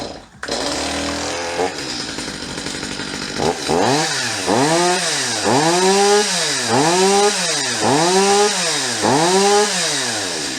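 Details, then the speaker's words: Stihl MS250 chainsaw after carburetor removal, cleaning and adjustment; starts quickly then revs cleanly up and down about once a second, climbing crisply without bogging or stumbling; runs much better than before. "so that runs much better than when we started this video I'm gonna do a little fine-tuning on the carburetor you can hear it's pretty close the way it is"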